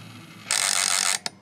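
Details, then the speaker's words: Mega CD 2 / Sega CD 2 with part of the CD drive board broken off, lid closed with no disc: about two-thirds of a second of harsh rasping gear grind, then a sharp click as the laser sled searches and overruns. "that didn't sound too good but it shows the mo the motor is working and then the laser is searching for the disc"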